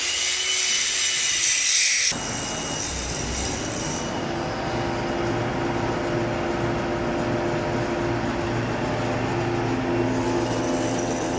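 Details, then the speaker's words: Hay chopper blower after grinding a weld off a ticking paddle that had shifted, new blower blades planned: steady rushing whirr, even low drone, ticking gone; normal blower run. "I guess that's good it doesn't sound like it did anyway so that's a good thing"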